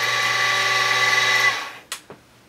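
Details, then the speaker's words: X2 mini-mill (CX605) running at high rpm after the motor was shifted on loosened mounts to find the quietest position: a steady mid-pitched gear whine with no grinding or rattle, then spin-down. Normal gear mesh. "if you just sort of move that very gently until you get the quietest machine maybe there and lock that down that's going to improve your noise quite a bit"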